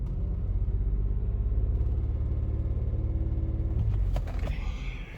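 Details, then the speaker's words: 1999 Lexus RX 300, about 310,000 miles, back in park: low lumpy idle with uneven shake and stumbling pulses; cylinder 6 misfire, owner blames bad ignition coil; check engine light solid. "okay even in park it's not doing very well"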